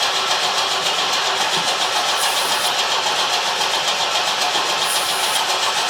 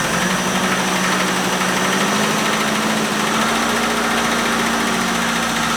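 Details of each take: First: 1973 Opel 1900 (Ascona) abandoned for years, cranking at first start attempt; fast even cranking whir, never fires; no spark found, owner suspects the coil or an added resistor in the ignition wiring. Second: 1973 Opel 1900 (Ascona) abandoned for years, first start after fixing no-spark (ignition running through two resistors, points confirmed sparking); holds a steady, fast, even idle with no misses, stumbles or surging, running cleanly.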